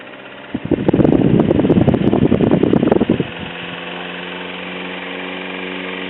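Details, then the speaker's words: 1920s Robbins & Myers 3-speed oscillating desk fan after headwire replacement: a few seconds of rough uneven scraping, then steady hum with faint light rub; cause unknown, to be checked during cosmetic restoration; little difference between speeds. "it still makes a little rubbing sound that I'm going to have to investigate further whenever I take it apart to do the cosmetic restoration"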